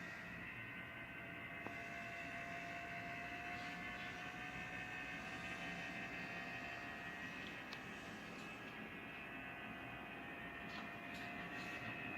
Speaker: Barulho do motor ventilador da evaporadora Dual Inverter 12.000 BTU LG. Sugiro trocar motor.